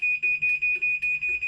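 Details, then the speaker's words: Chamberlain garage door opener told to close through the MyQ app: sharp high beep repeating about five times a second, the normal pre-close safety warning. "Just to make sure if anybody's here that they know it's fixing to close. Yeah, it's obviously a safety thing, but wow."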